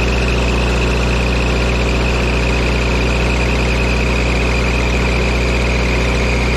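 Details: Auction-bought diesel welder that fell from a crane, idling after shimming and tightening the isolator mounts: constant high-pitched squeal that never lets up; drive belt is quite loose and worn, slipping, to be tightened.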